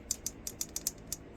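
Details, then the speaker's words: 1971 Honda CL175 rebuilt engine turned by hand to the T (top dead centre) mark: about seven light metallic clicks as the rockers rattle freely on both cylinders; valve clearance is present, normal. "And see when it's at the right stuff, it'll rattle for both. And it's nice."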